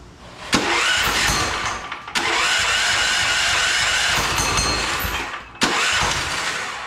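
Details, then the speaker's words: Turbocharged 420cc go-kart engine restarted after blowing up, with fuel screw leaned on the carb and a jump pack: three long cranking bursts, sputtering close to catching but never running; hard starting, sounds like something is off. "run huh definitely almost there but it definitely sounds like something's a little off"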